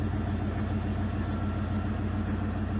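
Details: Owner's 1990 Ford F-150 4x4 plow truck at about 5°F, which wouldn't idle in the cold; owner suspects a bad IAC valve and cleaned it with carb cleaner. After refitting it starts right up with a low, steady idle, no hunting or stalling.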